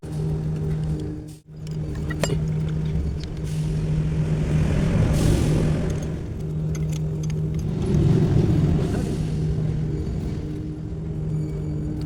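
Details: 6D40 diesel engine, cold morning start; heavy uneven low rumble and surging, struggling to catch and run cleanly: hard cold start.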